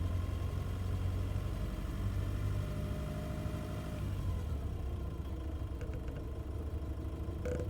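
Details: Nissan Navara, abnormal engine noise noticed between 750 and 2000 rpm: low idle rumble with uneven chatter and faint whir at low revs; cause unclear.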